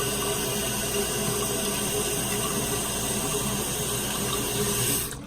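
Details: Toilet tank refilling with a steady, even water hiss that cuts off cleanly after a Korky basic universal flap was fitted; the flap then did not pop up on one twist, so the chain needed shortening.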